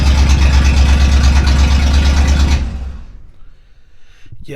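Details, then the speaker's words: Rebuilt Chevy 283 V8 just installed in a 1965 Nova Wagon, first start with one exhaust side unbolted: loud, harsh, blatting raw exhaust; open exhaust pipe on one side, needs exhaust shop. "that sounds terrible one side uncorked anyway well it's up and running at least we just got to take it to the exhaust shop they'll fix it up for me"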